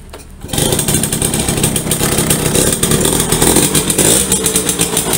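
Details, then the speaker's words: Yamaha V75 two-stroke, weak and struggling uphill, rough when hot: revving with a harsh uneven rasp and rattle over the exhaust note; mechanic suspects loose worn piston needing oversize, and an aged connecting rod. "nah ini kalau panas juga kasar nah ini perkiraan kita di bagian pistonnya udah lobok teman-teman ya"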